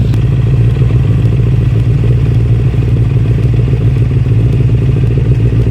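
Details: 1996 Suzuki Katana 600 sport bike bought cheap as a project: starts up and runs really good, strong even low exhaust rumble, steady, no knocks or misfires; normal healthy running.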